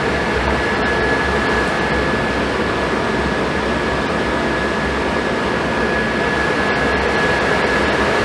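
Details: Suburban RV furnace, mounted on a truck, after cleaning and replacing the fan motor and control board: even rushing blower airflow with a faint steady high tone, no rattles, scrapes or surging; burning and running properly.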